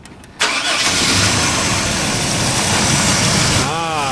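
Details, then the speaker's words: Oldsmobile Bravada with a warm engine, test start just after replacing an alternator whose rear bearing had failed: a quick crank, then it settles into a steady, even idle with no squeal or grinding; healthy. "so much quiet"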